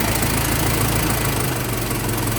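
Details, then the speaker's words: 1915 Ford Model T Roadster four-cylinder, hand-cranked, warming up, throttle eased back: steady even low putter at idle, no knocks or misses; runs smoothly, normal idle. "I'll reset to the return the throttle back just a tad, but as you can see, it runs pretty smooth."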